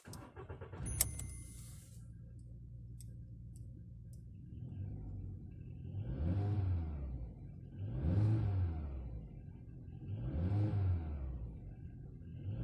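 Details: Volkswagen Polo sedan engine during warm-up with EPS light on: revved up and down about every two seconds, note uneven and shaky on each rise; rough-running misfire.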